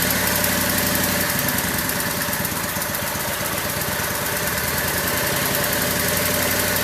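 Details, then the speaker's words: Craftsman lawn tractor single-cylinder, first run in over a year, using choke and jump start: ticking over at about four pulses a second, slightly unsteady; the owner later heard a sputter and suspects low gas. A normal idle. "Idling pretty good. Yeah, I'm happy. This thing hasn't run in a long time."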